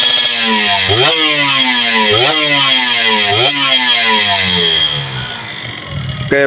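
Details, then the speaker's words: Kawasaki Ninja RR two-stroke after carburetor cleaning, reed membrane service and exhaust power-valve cleaning: sharp ring-ding blips climbing quickly and falling back cleanly, crisper than before; power valve opens around 6,000 rpm; healthy. "sudah lebih nyaring kayaknya suaranya ya"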